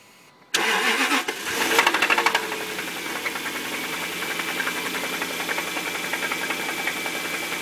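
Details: Jaguar V8 settling to idle after start with regular hard knocking in time with the engine; told it is rod knock, but possibly failed timing chain tensioners causing chain slap, unconfirmed until teardown.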